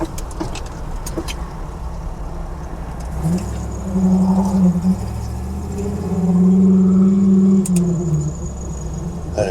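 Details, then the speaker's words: 1992 Jeep Wrangler YJ with a swapped 5.3L LS V8, heard from inside the cab: a deep, smooth drone rises cleanly as the throttle opens and eases off, not too loud, no drone; normal exhaust note with a squeak in the cab. "sounds great, though. It's not too loud in here."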